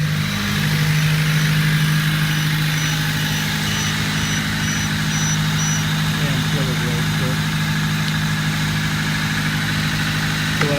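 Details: Honda with a fully dead battery, cranked on the first try using a Duracell lithium-ion jump pack, then idling normally: a smooth, even low hum with a steady beat and no misses or knocks.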